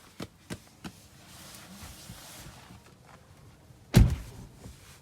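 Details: Tesla heat pump, intermittent knocking: three quick dull knocks, a pause, then one heavy thump. Recorded as evidence for service.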